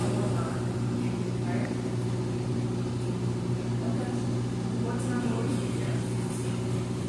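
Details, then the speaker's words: Amana front-load washer in diagnostic mode, empty load, spinning at medium-high speed while testing the control board accelerometer: steady even hum, low drone, no knocking or scraping; normal spin. "Right now it's at the medium high speed. It's testing out the accelerometer on your control board."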